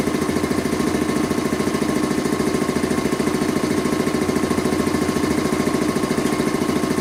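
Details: Rebuilt Quincy 325 air compressor on its first test run after head and valve rebuild, with discharge and unloader control lines hooked up, pumping up the tank: steady, even thump at about 3.5 beats per second, no clatter. Normal, healthy running.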